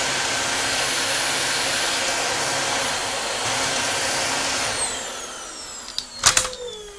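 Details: Dyson DC25 ball vacuum after power switch replacement, reassembled and tested: steady high-pitched even whoosh with no rattle or catch, then smooth spin-down after switch-off; motor healthy.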